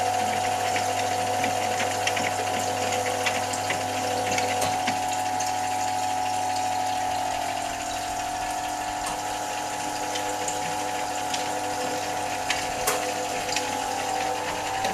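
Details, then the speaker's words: Brandt Stato 46 semi-automatic washing machine, drain before rinse: steady pump hum with clear whine near 700 Hz, gurgling and slurping as the tub runs dry; normal characteristic end-of-drain sound. "Voilà, on entend bien le bruit caractéristique de la fin de vidange."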